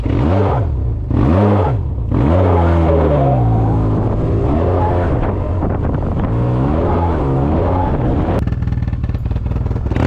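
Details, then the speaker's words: Yamaha Tmax 530 scooter at about 50,000, noise on acceleration with burning smell when cold; engine pitch swoops up and falls without settling on blips, CVT belt slip caused by a leaking variator-side crankshaft seal oiling the belt and pulleys. "Donc c'était le joint speed qui fuyait côté variation, qui du coup ça envoyait de l'huile sur la courroie, sur les flasques, etc."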